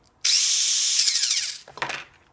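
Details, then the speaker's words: Tamiya Mini 4WD VS chassis after a half-hour break-in, with the counter gear spaced off the chassis and the gear cap refitted. High, even whir spinning up and down smoothly with no grinding or clicking. Normal quiet drivetrain. "So with this setting right here, you can hear the system transmission is really quiet. Okay, there's no extra noise. Everything run pretty smooth."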